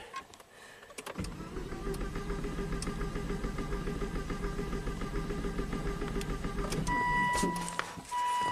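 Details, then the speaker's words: 2004 Volvo XC70 AWD, 278k miles, timing belt engine, no-start after two shops worked on it: quick, even cranking about three beats a second that never catches. Pressure trace shows spark far from TDC, an engine-based timing problem. "so right away in one hour of Diagnostics you can tell your customer we're dealing with an engine based timing problem this is a timing belt engine"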